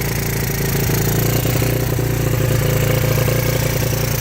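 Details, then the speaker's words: 1985 Yamaha Moto 4 80cc ATV on fresh fuel, with a possible exhaust leak: the small single keeps idling with an even, fast putter. The off switch has been bypassed, so the engine cannot be shut off. "Yep. Off switch is bypass. So we're gonna have to hook up something and kill this thing. Because right now there is no way of killing it."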